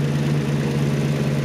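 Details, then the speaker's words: Maserati 3200 GT twin-turbo V8 at idle before a 600 km drive home: steady low idle with light busy chatter, hoped to be timing chain rather than valves; noisy but not knocking, cause unconfirmed. "nó không quái dị, nó tạo ra một chút tiếng ồn nhưng... Tôi không nghe thấy tiếng van nói riêng"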